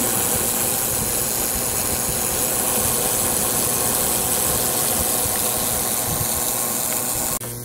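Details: Ozone generator installed inside a Filtrete FAP02 room air purifier, plugged in: steady hissing buzz over an even fan rush with no rattles or dropouts; generator and fan running normally.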